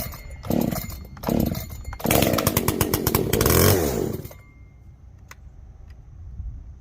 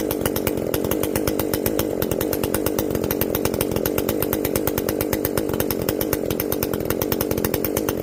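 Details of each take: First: Echo CS-590 chainsaw, first start after carb rebuild with limiter caps removed for full adjustment: short blips, then a harsh, buzzy full-throttle scream that cuts off abruptly. It runs lean, and the high jet is opened a whole turn. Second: Echo CS-590 chainsaw after carb limiter removal and opened-up exhaust, high jet turned up a full turn plus low jet richened: crisp, even two-stroke buzz at high revs, steady firing, no stumble or bogging; runs clean, not running hot.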